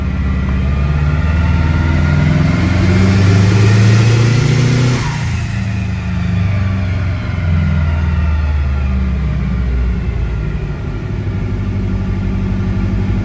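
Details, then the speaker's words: Levi's car on the dyno during tuning, a repeat problem car that previously hit a wall and cut out: revs hard under load, then breaks up with popping near the top; pulls but with slight misfires at high rpm, cause not yet known. "now we're getting misfires just bam bam bam bam bam so we're getting like pop pop pop pop so it's pulling but we're getting slight misfires as it's pulling"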